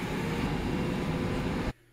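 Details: 2004–2008 IC CE300 school bus with DT466e 7.6 L diesel, key on during no-start troubleshooting, bus warm inside shop so grid heater did not run: steady even rush of air briefly then cutoff, only the defroster blowers running normally.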